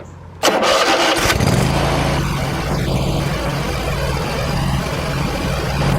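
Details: Hustler Raptor SD zero-turn mower after oil change, started to fill the oil filter and run about 20 seconds: quick crank, catches at once into a steady, even idle with no knocks or misses; healthy.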